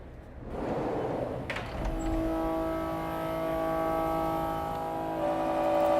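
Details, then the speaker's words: Haas CNC mill cut: the cut begins, then a loud, steady, piercing squeal sets in and holds, a milling chatter demonstration. "Okay, welcome to the chatter zone. While this is running, you can make your best guess as to the cause of this chatter."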